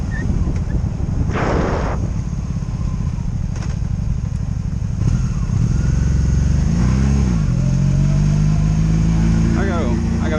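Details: 2002 Honda Magna VF750C, warmed up, ridden in gear on its first non-stop test run after it previously died in gear: steady pull and clean rev-ups with an even low drone, no misfires, ignition cuts or bucking; normal running.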